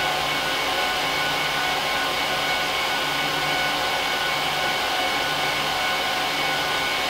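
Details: HP ProLiant DL380p Gen8 server (24×4GB DIMMs, eight 300GB 10,000 rpm drives in RAID 5, both PSUs, no cards) during POST/boot: loud steady rushing whoosh with constant high hum, no pitch change; fans flat out at startup, normal, quieter once idle.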